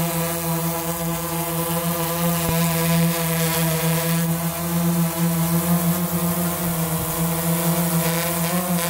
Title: Dji phantom 3 advanced makes weird whistling sound.......do not worry this is totally okay